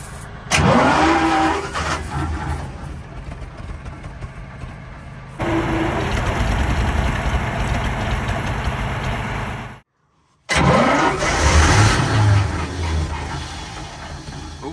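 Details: Centurion ARV winch engine after battery change and cleaning with brake cleaner, cranking; repeated bursts with uneven chuffs, almost catching but never running on its own; crank, no start.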